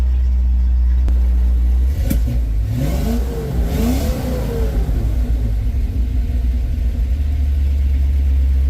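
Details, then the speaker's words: 1970 Dodge D100 V8 at operating temperature, carburetor still chokes a little: clean revs settling back to a smooth, even idle with no misses, knocks or rattles; running good. "now that it's running it's running good"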